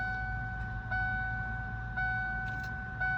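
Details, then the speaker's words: 1992 Ford Mustang 5.0 LX Fox body after battery cable and ground clamp replacement: key turned to start gives only fuel pump whine and a steady warning chime, no starter click or cranking; starter solenoid relay at fault, jumping its contacts starts the engine. "So you get in, you go to crank it, you can hear your fuel pump whine."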